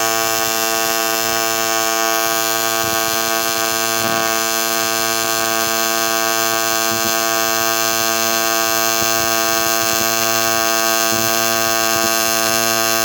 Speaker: I'm going to start the petal I'm not going to slam it I will ease into it I will let the frequency do the work creating a puddle and really burning into our base material